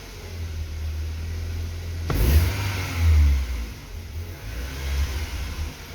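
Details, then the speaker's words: BMW E36 Compact 316i 1.9 at any temperature: runs normally above 2000 rpm, but as revs fall toward about 1100 rpm the engine sags unevenly and falters, unable to hold idle; it stalls at idle and the cause is not yet diagnosed. "vemos como por encima de las dos mil vueltas el comportamiento del motor es normal pero una vez que cae el coche no aguanta el ralentí"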